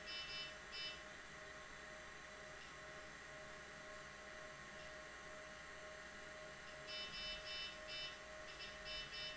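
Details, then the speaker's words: IBM 0665 full-height 5.25-inch MFM hard disk, owned from new since the 1980s, spinning during computer boot; steady even whine with occasional short high chirps, spinning smoothly like a kitten and sounding healthy, still works perfectly. "i hope you can hear the fact that it is spinning like a little kitten so it's spinning very smoothly"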